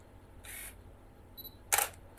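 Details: Canon non-STM lens autofocusing: two short, raspy, high-pitched whirring bursts as it hunts, then finds focus. The geared autofocus motor is noisy and very slow compared with an STM lens.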